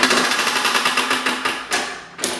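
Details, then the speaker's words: Toro self-propelled push mower with blown engine, hand-pulled over: no compression, sharp metallic clacks a few per second, fading with each pull; rod knock. "Damn, no compression. Sounds like it's got rod knock."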